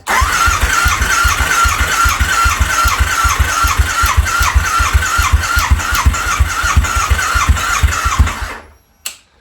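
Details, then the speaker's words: Harley V-Rod's first start attempt in at least 4 years, with new battery, throttle body refitted and fresh 91 octane, possibly with some old bad fuel still in the lines. About eight seconds of cranking with occasional stronger pulses but no catch; long crank without starting. "I think it's gonna go. I think it's gonna go. I hope it's gonna go. I hope it's gonna go. I can kind of hear it tugging."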